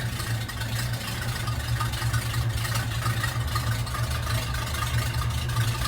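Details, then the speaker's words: Old hearse V8 with new exhaust, idling untouched while warming, oil pressure a little high: deep uneven, lumpy idle with stumbling pulses, owner unsure if power steering noise; rough idle from vacuum leak at collapsed PCV hose. "All right, I'm not gonna give it gas. It doesn't sound like it's running right."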